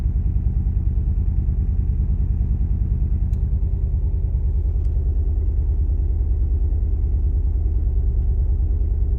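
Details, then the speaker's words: Nissan 180SX Type X (S13) SR20DET at idle: lumpy, shaking idle with a loping beat about twice a second, like a lawn mower; misfire, with spark plugs, coil packs, wiring and injectors suspected. "i don't know if you can hear it literally sounds like i'm driving a lawn mower like i'm trying to get into the garage listen to this this is shaking so bad the car literally sounds like a lawn mower"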